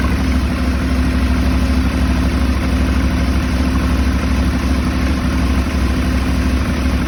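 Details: Aprilia Shiver 750 V-twin at idle, throttle body problem suspected but not confirmed. Low, uneven pulse that wanders rather than holding steady; rough idle.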